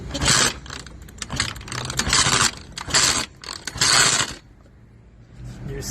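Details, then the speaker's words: Eaton Beamer III scooter during rebuild, kickstarting with choke fully on: harsh scraping rasp in short bursts on each kick; better reaction than electric start and fuel is flowing, but something is still wrong, cause unconfirmed. "okay so we are getting a better reaction from the Kickstart than we are with the electric ignition"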